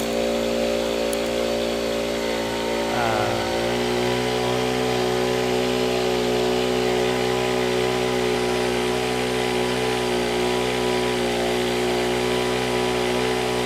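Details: Honda WJR4025 backpack sprayer, GX35 four-stroke petrol engine, spraying high; smooth, steady high-speed drone holding even under load with no misses or knocks. Described as a soft, smooth Honda sound; healthy normal running under load.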